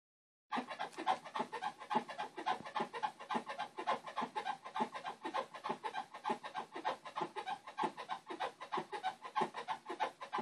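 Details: Whirlpool Cabrio 5500 washer making quick rhythmic "squeaky bed" squeaks, about three per second, during load auto-sensing at wash start and sometimes mid spin/rinse; cannot be reproduced manually; cause unknown.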